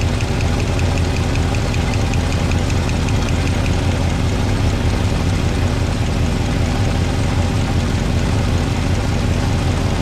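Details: 1962 Chevrolet C10 V8 (possibly a 350), warm, valve covers off during valve adjustment: heavy rumbling idle with fast light ticking; a backed-off rocker not yet getting oil clatters.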